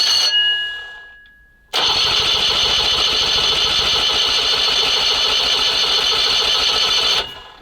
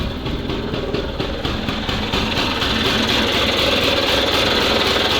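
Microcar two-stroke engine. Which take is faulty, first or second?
first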